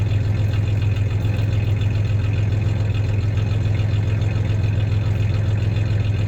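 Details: 1993 Ford Ranger 3.0 V6 idling with a little rev: steady deep idle with slightly uneven pulse and occasional stumble; slight misfire; clanking is bed tie-downs, not the misfire.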